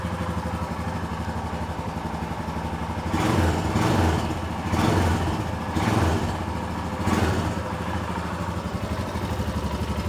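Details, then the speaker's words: Royal Enfield Himalayan 411 after replacing the failed fuel pump with a reused pump from a Bullet, petrol added: single-cylinder thump settles into an even idle with a few throttle blips, smooth, no misfire or clatter; normal idle. "all right put some petol in it that'll do is all right she should fire up"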